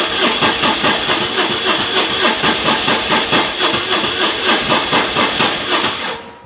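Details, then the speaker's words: BMW R1150 GS project bike with no service history, also draining its battery: starter churns steadily at about two beats a second for several seconds, engine never catches; long cranking, no start, owner suspects the Hall effect sensor. "as you can see it's a bit of a nightmare to fire up so I think that might be the hall position sensor or the hall sensor or whatever it's called"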